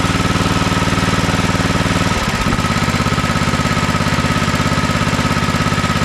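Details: Toro TimeCutter MX4200 74765 zero-turn, had smoked and died off choke; on fresh ethanol-free fuel with fuel lines refitted: steady even thudding beat, stays running through brief load change without bogging; running fine, earlier cause unknown.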